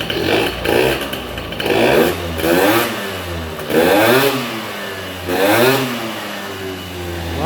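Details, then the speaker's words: Ludix 50cc two-stroke scooter with Athena racing kit, 24 PWK carburetor, air box removed for free intake, after carb tuning: repeated quick throttle blips, pitch climbing sharply and dropping back cleanly; revs freely and pulls strongly, healthy. "je vous laisse sur l'image du petit Doppler dont vous avez entendu le bruit qui est franchement top"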